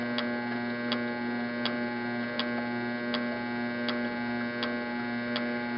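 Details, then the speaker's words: Tecumseh HH120 engine, turned at about 66 rpm on an engine simulator, with new GM LS2 ignition coil and modified GM PC2 crank sensor: sharp regular spark snaps about every 0.7 s over steady hum; healthy, nice spark. "usually I let the camera run here for a little bit so the framing with the slow rpm and the camera framing might catch a spark once in a while but you can see it's a pretty nice spark"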